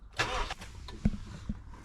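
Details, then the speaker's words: Honda CR-V B20 cold start after cleaning the idle control valve with brake cleaner; cranks and catches unevenly with stumbling bursts before settling, hesitant from cleaner residue left in the ICV, then appears to hold a high cold idle it never had before. "so this is definitely a cold start the first time was a little bit hit and miss because there still a bit of brake cleaner residue left in the icv"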